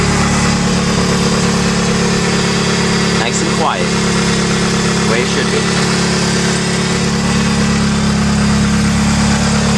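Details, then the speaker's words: 1996 Mitsubishi Eclipse, belts checked good: a smooth idle with a steady low hum and no squeal or chirp from the belts; the belt drive is quiet. "belts are good I'll start it up so you can hear that it's quiet now"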